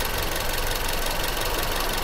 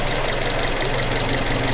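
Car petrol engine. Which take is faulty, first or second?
first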